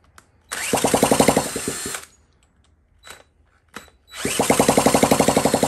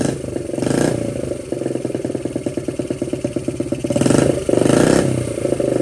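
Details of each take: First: 1979 Honda Z50 with fuel poured into the carburetor bowl from a bottle: catches with quick even firing for about 1.5 seconds, dies, then catches again as the carb runs dry; fuel starvation. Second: 1979 Honda Z50 with loosely fitted SL70-type low exhaust: small single thumps with quick even pops, revs cleanly twice and settles; normal running and revving.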